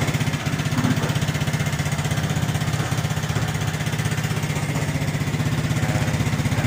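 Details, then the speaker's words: Suzuki Smash 115cc motorcycle just after a one-click start: smooth, regular single-cylinder beat at about four pulses per second, steady with no misses or knocks; healthy idle. "Yan ang under niya, oh. One click lang yan."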